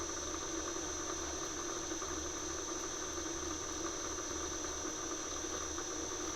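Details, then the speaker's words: Fly cutter skimming an engine block, roughing pass at 0.2 mm depth of cut, about 200 mm/min feed, about 710 RPM spindle: continuous high ringing squeal over a steady cutting hum with faint rhythmic pulse; fly cutter chatter, rough finish. "pass and it was quite rough that was at 0.2 millimeters depth of Court running at about 200 millimeters a minute on the feed and it's about 710 RPM on the spindle speed um and yeah I could definitely tell obviously there's a bit of chatter"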